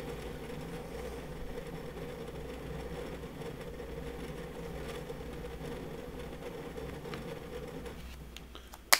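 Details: WD Red Pro 20TB NAS hard drive (9 platters) in a small plastic NAS enclosure under peak load test: fast continuous ticking chatter over faint steady spin hum; normal busy head seeking for this drive.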